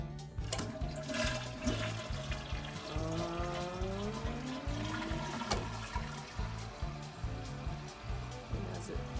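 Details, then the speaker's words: Toilet flushes and tank refills with steady even hiss after the waterlogged blue float was squeezed out so it floats again; water rushes out, fill valve now shuts off normally, no longer running. "up we'll see if it floats oh this is taking a long time [Music] oh it stopped i fixed it"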